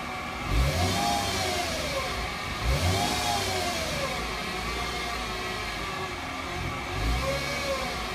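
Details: 2008 Mercedes-Benz C300 V6, stock exhaust, cold start and revving: a high whine climbs and falls with each rev over the engine note from a failing alternator; a replacement alternator cured the noise.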